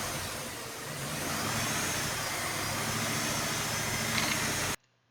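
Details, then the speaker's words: Chevy TrailBlazer with P0300 random misfire and P0174 lean codes, after MAF sensor replacement and clearing codes: petrol engine revs with a thin high-pitched whistle on acceleration, suspected vacuum leak, not yet confirmed. "we just heard we're still getting kind of a a whistling kind of high-pitched sound when we accelerate which could be a vacuum leak"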